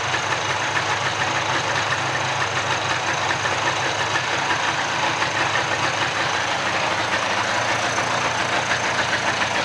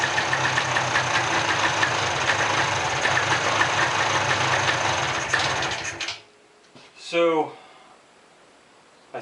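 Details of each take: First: Mid-90s (1995) Polaris ATV two-stroke rebuilt from a pile of parts, first run, warming up and smoky from oil in the crankcase: steady, buzzy idle with an even unbroken beat, no misses or knocks; normal idle. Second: Mid-90s (1995) Polaris ATV revived from a pile of parts: two-stroke runs busy and rattly about six seconds then cuts out abruptly; owner suspects the rev limiter kills the engine when throttle is released, needs throttle adjustment.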